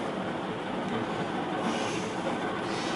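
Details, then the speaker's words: HRS industrial ceiling fan on high after treating stiff bearings with WD40 and Zoom Spout oil: steady rough rushing rattle with faint tone; bearings now spin freely but are dry and loose, rattling in the motor, not seated centered. "So you hear the bearings. It's not bearings that are stiff. They're actually loose inside. It's like they rattle around."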